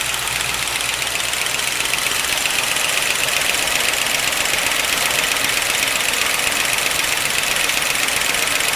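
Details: 1955 Pontiac Chieftain sedan after an oil change to 10W-40 plus Marvel Mystery Oil, the first in years: steady idle with a quick, even tick about four per second over a hissy top end. Cause not yet pinned down. Engine ticking at idle.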